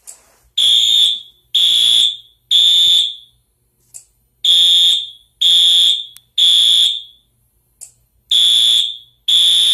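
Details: Fire alarm system test with new sync module and ESL 541 smoke detector smoked to trigger alarm: groups of three long high-pitched horn blasts with pauses between groups, repeating steadily; horns working normally.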